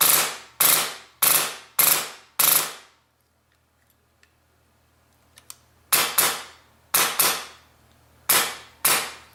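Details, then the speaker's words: Polarstar airsoft engine reassembled without bucking: sharp cracking shots in quick bursts, loud with hissy tail as air escapes through the open nozzle port; each shot cycles, just louder than normal. "It probably sounds a little louder because the air is trying to escape through this port right here, this open area."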